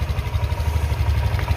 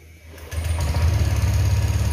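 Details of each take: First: Old-model 2018 Honda Vario 150 scooter at idle after replacing its weak, never-changed original spark plug, which caused misfiring and poor acceleration: even, quick, low thrumming with no stumbles; stable idle, also fine under sudden throttle. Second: Older Honda Vario 150 PGM-FI scooter at start-up: catches into an uneven, lumpy, limping idle with irregular beats, dies on sudden throttle but fine at high rpm; misfire.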